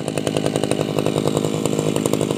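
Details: Tabata two-stroke brush cutter, 7+ years daily use, original block and piston, rings and damper replaced; crisp even high-speed buzz with steady pulse, no misses: normal running.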